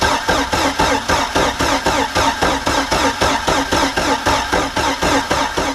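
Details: Mercruiser 3.0 in a Stingray boat, sat 9 years, new fuel pump and carburetor, on muffs: starter cranks in steady pulses about three a second without firing while pulling fuel up; cranks but won't start yet.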